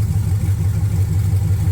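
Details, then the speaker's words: 1979 Camaro LS-swapped V8, restarted after reading and clearing codes, 158 degrees, no exhaust pipe yet: deep, steady, even rumble with no misses, knocks or ticks; smooth healthy idle, throttle body blade screw still needs slight adjustment. "Perfecto now. I need to turn the throttle body blade screw back up a little, but that's it."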